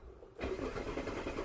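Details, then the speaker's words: 2001 Hyundai Santa Fe, towed in as a crank-no-start: starter spins the engine with a steady churn but it never fires, and scan-tool engine rpm stays at zero; failed crankshaft position sensor. "nothing all right so the other numbers have changed it but that engine speed rpm is not changing so that right there in verifies that we have a crankshaft position sensor issue on this car"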